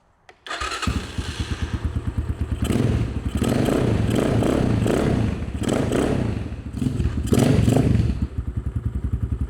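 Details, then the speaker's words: Cheap 250cc Amazon dirt bike left unused about five years, carburetor with no choke found, starting cold: fires quickly, then uneven popping single-cylinder idle with throttle blips while warming; normal cold start and idle. "I think it's just cold. I think I think it's fine. That's That's a good That's good RPM for"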